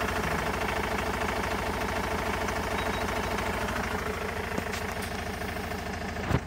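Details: 2004 Vauxhall Movano 2.5 diesel: heavy rhythmic idle shaking about three times a second, uneven beat, some black smoke, delay on throttle; rough idle with vibration, owner suspects misfire, failed injector or cylinder, unconfirmed.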